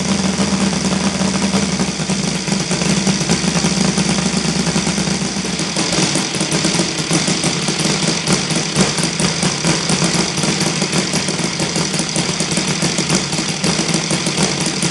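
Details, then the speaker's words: Saito FG 60 R3 four-stroke on spark ignition, loud rapid idle with hard, slightly uneven firing beats during Hall sensor timing adjustment from early to late; rough low-idle vibration, timing suspected but not confirmed. "so about that's the question of the how timing uh will affect vibrations on the uh low idle speed"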